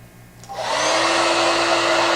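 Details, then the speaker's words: Standard Conair Euro 16 Turbo hair dryer running on high, spinning up to a loud rushing blow with a steady high-pitched whine typical of this fan technology; normal, compared against a quieter lower-frequency prototype at equal airflow. "can hear the high-pitched whine of this technology. And here is a much lower frequency, not so bothersome."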